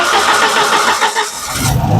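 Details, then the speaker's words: 1989 Jeep Comanche, not driven in years, started by touching the starter solenoid hot wire to the battery positive: starter cranks in quick even beats for over a second, then the engine catches and settles into a steady idle. "now when I touch this to the positive terminal I'll turn over let's see if she'll fire up again"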